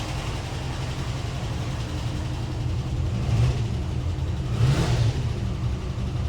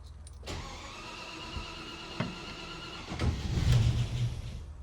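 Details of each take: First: Land Rover Series 2A on unleaded after years on LPG, new fuel pump, carb still dripping; three quick throttle blips climb and fall cleanly, starts easily and revs higher and much nicer than on LPG: normal free revving. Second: Land Rover Series 2A, first start attempt on unleaded petrol after years on LPG, new fuel pump fitted: starter cranks steadily few seconds, a rougher burst, never fires; owner suspects flooding; cranks but won't start.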